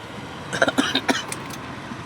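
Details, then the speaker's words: E-rickshaw driving on road: a few loud uneven khat-khat clunks, truck-like; knock cause not yet found, suspected, not confirmed. "देखिए अभी हमारे पास जब गाड़ी आई थी दोस्तों तो इस रस्ते में देखिए बहुत तेज आवाज आ रही है। खटखट खट खट खट खट खटखट खटखट की आवाज आ रही है।"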